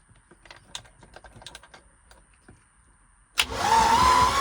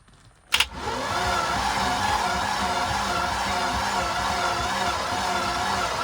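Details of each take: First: 1989 Tige ski boat after years of sitting, cranked after charging the battery: quiet clicking, then the starter spins the engine over briskly and evenly; healthy cranking, not yet started. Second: 1989 Tige ski boat after years of sitting, first key turn: starter whirs about ten seconds with lazy, labored turning and no catch; engine won't fire; owner suspects a dead battery, spark not yet checked.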